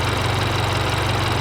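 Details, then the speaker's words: 2022-2024 Subaru VB WRX after Perrin equal-length header install, one header bolt missing: smooth, even idle with steady low burble, no puffing or ticking at header joint, slight oil smoke burning off; no exhaust leak, normal idle. "sounds the same for initial startup I don't hear any difference in sound she's all in guys and running sounds good and a little bit of smoke burning off and the oil that was on it"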